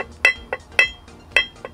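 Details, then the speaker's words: 1997 Sea-Doo SP 720 140mm bronze jet pump, prop rocked by hand: sharp metallic clinks about every half second from excessive shaft play, worn bearings suspected; water mixed in gear oil, pump to be rebuilt. "you hear there's playing in there that thing's all over the place"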